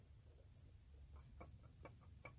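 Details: Hummer H3 water pump, removed, turned by hand: soft, uneven ticking and gritty patter from a worn-out bearing.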